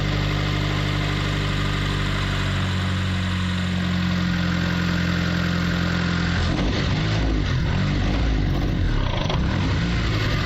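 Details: Mitsubishi Lancer CE after spark plug tube seal and fuel system work, with both ignition coils plugged back in: smooth, steady idle with even low beat and no misses, revs cleanly.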